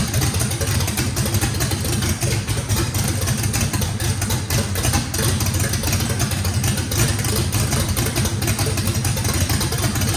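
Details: Brand-new drag-race motor with a radical camshaft, first fire-up, choppy loping idle with strong uneven rumble, steady, no rattles, misfire or blow-by. Overlap and lobe separation needed lots of throttle, blade about six percent open; normal lopey idle.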